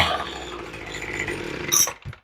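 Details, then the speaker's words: Troy-Bilt two-stroke blower with a replacement carburetor, now with its spark plug installed. It revs up crisp and steady with a clean high buzz, then cuts off cleanly. Running normally. "That sounds really good now that I've got a plug in it."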